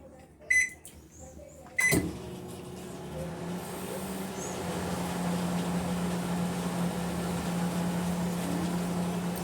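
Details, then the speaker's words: Panasonic microwave after replacing the capacitor, running on normal mains with a cup of water for 30 seconds: steady low hum with a faint even tone after door and start clicks, no buzzing or strain; water heated, working normally again. "Mas a água esquentou aí mais um que volta a funcionar."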